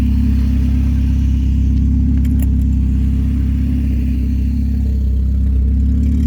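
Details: PT Cruiser with open header (manifold/downpipe missing one bolt), warming-up idle, alternator charging but belt loose; loud, deep, steady drone with raw exhaust bark, no squeal; loud open-header exhaust at idle.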